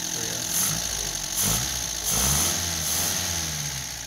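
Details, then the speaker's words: Restored MG TD, after new belt and apparently stopping a carburetor leak, warm: four-cylinder idle with a few light throttle swells, otherwise even steady beat; purring, healthy. "Look at that baby. Purring like a kitten. We got a new belt on there. I think we stopped this carburetor leak. Purrs like a kitten."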